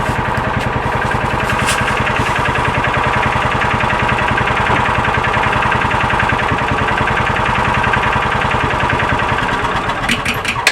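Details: 2000 John Deere 4X2 Gator, restarted hot after a ride, following ignition coil replacement: engine catches and settles into a steady, even idle with no sputter or stalling. Normal hot restart; a bad coil looks to have been the problem.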